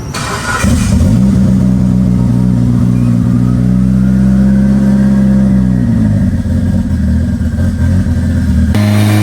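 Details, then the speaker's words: Big-turbo Mitsubishi Evo, first dyno pull (393 ft-lb), coolant near 221°F: pulls hard with rising drone, then power abruptly drops and stutters near the top, hitting boost cut set low because wastegate springs are unknown; overboost suspected, not confirmed. "They hit a boost cut."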